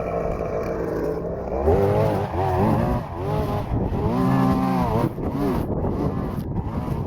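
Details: Stihl FS-250R two-stroke string trimmer after carburetor rebuild kit (old diaphragm had hardened from sitting with stale gas), cutting wet grass in rain: buzzy note rises and falls into grass, picks back up cleanly; normal running under load.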